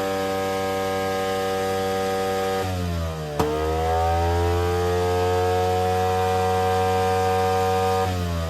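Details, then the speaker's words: Two-stroke Attex 6x6 with Rockwell motor, new lightning coil and adjusted points: screams at a high steady idle, sags, climbs back and holds, running away and hard to kill. "I have no idea why it's running like that. It might be somewhat running away. It really kind of took a lot to kill it there."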